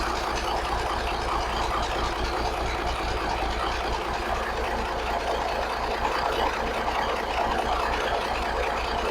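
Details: 1983 Kenworth cabover, Cat A-model diesel, after setting injection timing and overhead: steady even idle rumble with slight blow-by hiss as expected, smokes a little as an A-model, no knocks or misses; healthy idle.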